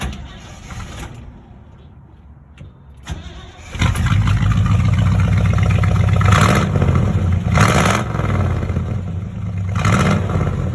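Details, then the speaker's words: Rebuilt 1967 Chevrolet C10 V8 with small-pipe glass pack exhaust: short crank, quick catch, then deep even burble with throttle blips, old-school sound; normal startup and idle. "Definitely got that old school sound to it."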